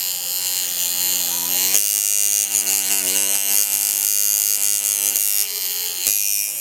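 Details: Good-quality coil tattoo machine: a strong, steady, high-pitched buzz with no bogging down; it is hitting cleanly and running as it should.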